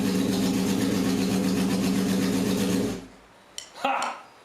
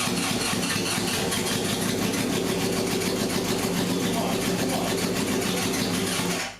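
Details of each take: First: Barn-find 1978 Honda CB750K with a rebuilt engine on choke, attempt four after the idle mixture screws were set to 1.5 turns: the four-cylinder starts and hums at a steady, even idle for about three seconds. It has compression and runs. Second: 1978 Honda CB750K barn-find four, long stored, first start on choke: uneven stumbling exhaust beat, timing suspected; cylinder 2 not firing, plug uncharred, poor plug-wire connector.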